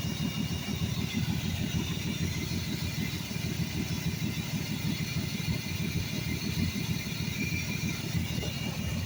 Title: 1982 Ford F150 300 Auto. There's a horrific vacuum leak around that quadrajet somewhere...